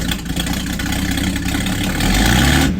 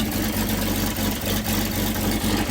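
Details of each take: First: Open-pipe exhaust, muffler removed, on a 97-year-old Buick Standard Six after refitting a fallen pipe that had blocked the exhaust: loud, raw steady low beat climbing smoothly on the rev, no popping or choking; engine now breathing freely, running much better. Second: 97-year-old Buick Standard Six with the muffler removed, revved: exhaust sounds muffled and too quiet, intermittently opening up louder, with blowback, because the fallen pipe near the engine is blocking the exhaust; the pipe is to be removed and fixed.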